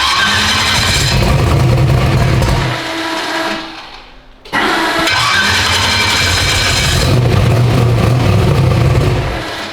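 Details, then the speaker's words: 372 small-block Chevy in an S10, first start after install: steady, even loping idle about four pulses a second with no stumble or flooding; carburetor blades set well, sounds healthy. "it sounds like where the blades are set it should be good good idle it ain't trying to flood out or anything that's good"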